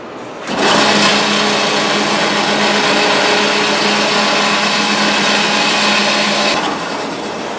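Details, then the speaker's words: Big bandsaw drive noise after the saw failed on first job: steady low hum with higher whine over a harsh rushing drone; owner suspects deeper trouble beyond blade alignment, possibly the small transmission (gearbox) ran out of oil. "I have deeper problems beyond blade alignment let me check into it now"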